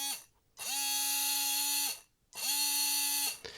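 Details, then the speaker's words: Tamiya Hornet RC car with Sport Tuned 380 motor, two short bench runs: a high buzzing whine spools up, holds, and dies away, sounding and feeling rough; owner suspects it burnt out from running too hot without rest. "Yeah, that does not sound kind of smooth or nice. I don't know. I think I probably burnt it out by running it too hot and not resting it enough."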